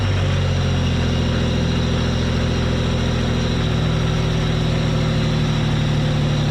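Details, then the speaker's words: Supercharged Pontiac Fiero V6 idling after replacing one fuel injector: steady, even low idle without the earlier bad misfire; one bank still weaker, cause unclear. "sounds a lot better i don't hear that really bad misfire now out of this side it still is a lot weaker though this side is a lot weaker than this side"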